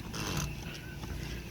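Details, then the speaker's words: Smith Corona Electra 220 electric typewriter: low motor hum with a light buzzy, intermittent rattle from a loose paper clip vibrating against the motor. "I know it was coming from this motor and I have a feeling I know what it is but it's not it's not doing it so there it goes radio off that gets a lot louder than that but it's something to do with the motor"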